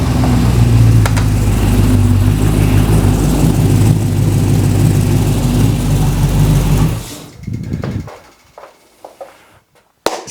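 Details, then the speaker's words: Ultima RS kit car with newly built 6.2 L LS3 V8, first ever start on the first turn of the key, indoors in garage, a bit smoky; deep roar blips and settles evenly for about seven seconds then shuts off, no knocks or misfires: normal revving. "success on the first turn of the key now that's what I call a result don't you sound nice"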